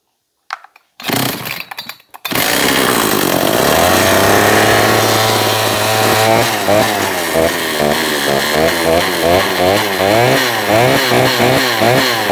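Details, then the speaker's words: John Deere CS56 chainsaw (Oleomac 956/FCO 156 type), choke engaged, primed; 135 psi compression. Sputters, catches after a couple of pulls, then settles into busy two-stroke buzz with slight surging; runs fine. "Let's see what we got. she wants to. She wants to run."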